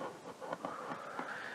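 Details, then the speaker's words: Marshall 50W Plexi reissue amp, live with speaker connected, taken off standby on the bench: irregular scratchy crackles and pops over faint hiss from a noisy presence potentiometer. "now we can also hear if i manage to get rid of the noise in the presence potentiometer taking it off standby steal some noise from the presence control"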